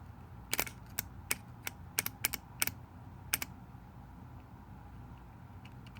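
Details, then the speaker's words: Honda Acty carburetor fuel shutoff solenoid, tested off the engine with 12 V applied: crisp quick clicks as the needle pulls in. Normal solenoid operation. "can hear this needle down so that is a good sign"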